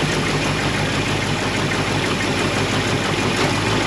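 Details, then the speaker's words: 1969 Mustang Mach 1 with a 1977 Mustang II engine, cold idle; loud heavy rapid knock; bad piston rings cause smoke and oil blowing from breather and exhaust, engine being replaced. "I don't know if you could hear that on the camera, but it does knock pretty loud."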